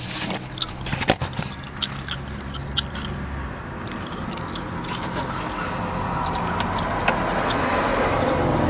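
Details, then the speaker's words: 1996 Mitsubishi Eclipse, decently warmed up, idle around 2100 rpm: thin, steady high squeal over the running engine holding its pitch; squeaky drive belt, owner's no longer sounds like that. "squeaky Bel you hear that one mine don't sound like that no more"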